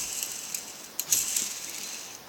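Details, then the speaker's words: Ball bearings from a Farmall Super A transmission spun by hand: faint gritty high-pitched rattle with scattered clicks from the rough outer main shaft bearing, blamed for the transmission's noise in gear and in neutral. "that is bearing so there's your noise right there that's why the transmission makes so much noise"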